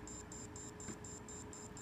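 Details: WD external hard drive dropped earlier that day: short beeps repeat about four times a second over a faint hum, drive never spins up and isn't recognized by the computer; likely drop damage.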